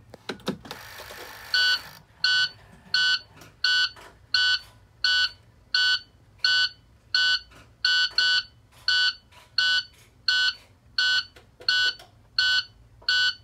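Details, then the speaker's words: 2010 International Prostar, automatic transmission: steady beeps about every 1.5 s as it refuses drive or reverse, signalling the brake pedal isn't registered. Brake lights work with ignition on and engine off, but stop once the engine starts. Suspected faulty brake switch. "when you find out the truck it doesn't want to go into any gears it's just beeping and making that beeping noise showing that you didn't press the brake pedal in order to switch the gears"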